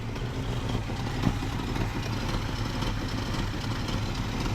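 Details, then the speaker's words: Chevy convertible Blazer small-block V8 started after sitting at least nine months, fresh fuel line: uneven, lumpy idle with a raspy puffing edge on each exhaust beat, pointing to an exhaust leak; otherwise idling. "Sounds like it got an exhaust leak. Big whoop. But it's idling."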